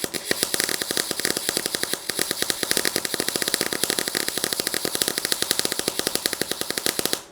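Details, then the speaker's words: Welding while fixing up a Rapidor Major saw: fast sharp crackling pops, about ten a second, in uneven bursts; arc sounds wrong, welder thinks shielding gas flow rate was low. "the sound doesn't sound right the the flow rate was low"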